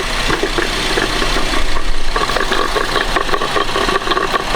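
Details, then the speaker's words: 2011 Buick Enclave 3.6 that starts and stalls with no codes, heard at idle through a screwdriver-and-megaphone on the OEM cam sensor: a rapid, uneven ticking knock, something hitting inside; cam phaser knock. "hear that that's not a sound you want coming from your cam sensor lady um that could be bad"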